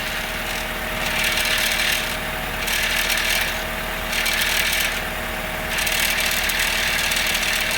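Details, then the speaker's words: 2000 Honda Civic, engine idling: a tinny metallic buzz pulses in waves from a loose exhaust heat shield. The other shields down the line look tight; a gear clamp around the shield is planned. Exhaust heat shield rattle. "so this heat shield is loose now looking down the line that one looks to be okay"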